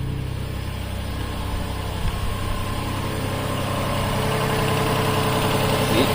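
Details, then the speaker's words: 2007 Toyota Highlander Hybrid in maintenance mode, forcing the engine to run continuously: engine fires and settles into a steady, even idle with a low hum and no knocks or misses; sounds normal. "See the motor start? It won't stop because it's in the maintenance mode."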